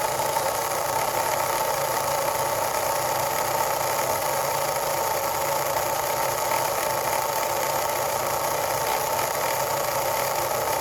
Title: Grinding Noise (Cricut explore air 2)